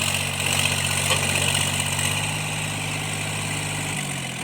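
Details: Tractor diesel cultivating after an engine knock repair: steady even drone under load, slight rpm dip near the end, no knock; healthy running.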